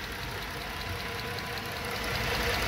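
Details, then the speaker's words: Dodge Charger V6, about 200,000–220,000 miles: idle stumbles and drops out irregularly from a bad misfire, with a small ticking noise; aftermarket O2 sensors and non-Mopar coils recently fitted. "now I can feel the misfire oh it's missing bad too guys"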